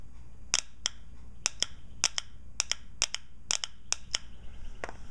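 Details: Shift solenoid pack from a 1992 Nissan Pathfinder automatic (stuck in fail-safe, not shifting), bench hard-wire tested off the valve body: sharp, crisp clicks, about ten in five seconds, each time energized; solenoid switching properly.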